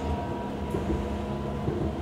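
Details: Hamburg U-Bahn DT5 train 343-1 with worn motors, heard from onboard: strong steady hum with a few fixed tones over the running noise while braking and slowing; abnormal traction motor drone, cause not confirmed.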